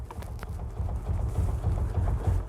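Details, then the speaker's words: 2009 Ford Flex on jack stands, wheel off: dull, low clunks about three per second as the front sway bar moves by hand in worn one-piece bushings. The owner also hears the clunk over bumps and when accelerating on the highway. "hear that clunking? I hear that going over bumps. I hear that going when I'm on the highway and I step on the gas."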